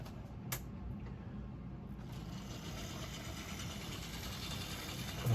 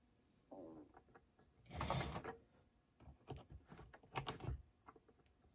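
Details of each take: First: Mainline Railways Royal Scot model locomotive, split-chassis motor, after reassembly to cure a squeal, pulling wagons; soft, even whirr with light gear chatter and no squeal, running smoothly under load. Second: Mainline Railways Royal Scot model locomotive, run only about twice: after a few light clicks it starts with a steady, piercing high-pitched motor squeal; later it runs okay.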